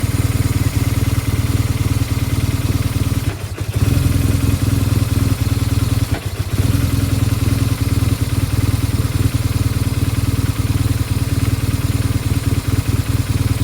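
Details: BMW R1200GS Adventure at full operating temperature: uneven lumpy idle with two dips where it nearly stalls and recovers; persists despite new plugs and coils, checked valves, synced throttle bodies, TPM and adaptation resets; cause unknown.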